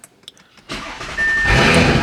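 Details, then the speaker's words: 2022 Audi S5 Sportback start-up after DIY oil change: quiet clicks, then starter catches and engine fires cleanly, settling into a smooth, even idle; normal engine start. "Ooh, love that noise. Love that noise. Never gets old, guys."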